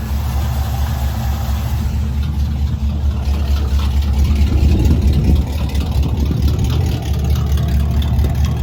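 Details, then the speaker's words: Squarebody truck converted from propane back to gasoline, after the mud-filled carburetor was rebuilt and a bad accelerator pump noted. Deep, even V8 idle with a brief smooth rev that settles cleanly, no misses or knocks: normal idle. "So, we are all good and fired it up cuz it starts up and just runs amazing now that this car is rebuilt."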